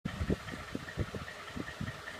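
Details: 2012 Ford F-150 5.0 V8: uneven idle with dull, irregular low thumps rising above the engine note; engine knock at idle, source unclear.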